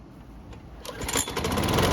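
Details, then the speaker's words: Bolens mower that wouldn't start, after major engine problems fixed, primed and rope pulled: catches and settles into steady even putter with no misses; normal running. "So it's been running for several minutes and the engine should be good and hot."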